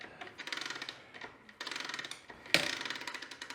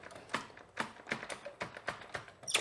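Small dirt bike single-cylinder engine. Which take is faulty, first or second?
first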